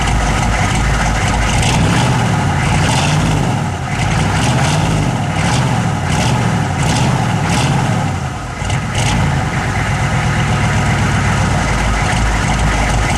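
Deep idle with a low pulse that wavers and sags now and then instead of staying even, a rough idle, cause unknown.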